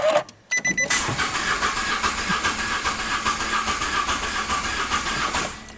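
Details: 2016 Nissan Note with HR12 supercharged engine, running rough with P0302 misfire and power loss, cranked with throttle pressed during a scope relative compression test: steady cranking about seventy pulses a minute with one weak stroke each cycle; one cylinder low on compression.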